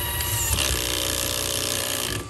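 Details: HB R1001 Ford Bronco RC crawler, before fix: throttle on, shifting gear. Electric motor whine with a harsh rasping grind as the gear goes in, then it drops off. Gears are clashing in the gearbox.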